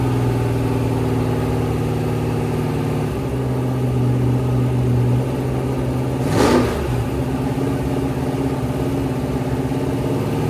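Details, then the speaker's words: Rebuilt 426 Hemi crate V8 (new heads, intake, pistons) on a run stand during flat-tappet cam break-in: steady, even high idle with one brief throttle blip; runs cleanly, healthy. "We broke in a modern flat tapid cam with no failure. We have excellent oil pressure. Our engine starts, runs, revs, sounds great."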